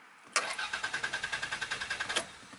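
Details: Normal starter cranking with the park block cables removed so the engine cannot fire: even, steady cranking at about ten beats a second for two seconds, no grinding or slipping; starter working fine, engine not starting.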